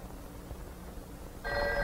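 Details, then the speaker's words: Electromechanical step-by-step Strowger switch demonstration: after the final digit 6, the connector rotates to the sixth terminal and sends ringing current on the called line until the receiver is raised; a quiet stretch, then a steady ring starts, working normally. "connector now sends ringing current out on the called line until the receiver is raised"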